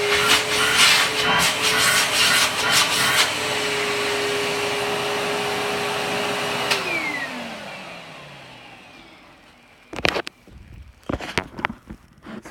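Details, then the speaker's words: Kenmore upright vacuum cleaner: a steady motor whir with a light, lifter-like tick about twice a second, from a worn drive belt not replaced in a while. "like a lifter but it's the belt on it which is probably not too surprising since I haven't replaced it in a while"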